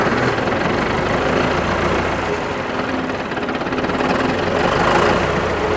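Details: John Deere 450C track loader diesel, long parked in the woods: steady, even clatter holding speed with no stumbling or misses.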